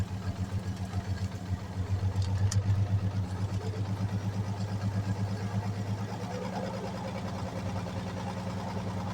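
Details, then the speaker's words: 1946 Chevy 3/4-ton, first run after sitting since the early 70s: a low, even idle thump about four beats a second, with no misses or knocks. It seems to have built compression. "Well, there it goes. Hell yeah. Well, that's not a bad go. It definitely sounds like it built some compression at least."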